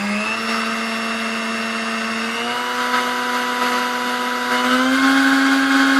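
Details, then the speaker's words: Serviced Sunbeam Mixmaster 12C stand mixer, corrosion cleaned off contacts, fitted with old bent beaters: smooth, even motor whine stepping cleanly up in pitch at each speed change, no rattle or grind; runs normally. "just go ahead and fire this thing up and see how she sounds now cuz we couldn't hear it before"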